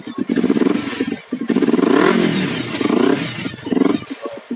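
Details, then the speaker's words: Kawasaki Ninja 250 with aftermarket racing exhaust, started during a used-bike check: loud throaty exhaust with quick blips rising and falling, even firing, no knocks or rattles; engine sounds smooth, normal idle. "Nah, kita hidupkan mesinnya, kita dengerin suara mesinnya. Ini termasuk halus sih guys menurut saya."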